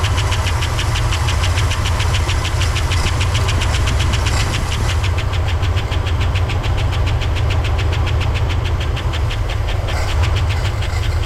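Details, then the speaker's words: 1964 Oldsmobile 98, first start after years sitting, old fuel, carburetor bowl filled by hand: low slow idle around 600 rpm, lumpy beat with about four uneven pulses a second over deep rumble; rough running. "is it just going to run at like 600 RPMs yeah I guess so"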